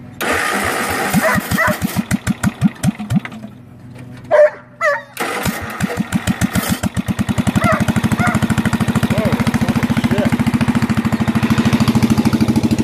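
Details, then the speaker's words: Bolens lawn tractor single-cylinder engine with the muffler temporarily removed: a few stumbling cranks, then it catches into loud, sharp, evenly spaced unmuffled bangs. "well we got the muffler off so might as well fire it up and see how shitty it sounds with it why it's off temporarily"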